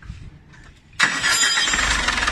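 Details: Dodge Ram 4D56 diesel, cylinder head not removed, coolant refilled; quiet, then a quick crank and catch, settling to a steady even idle. Normal start and idle.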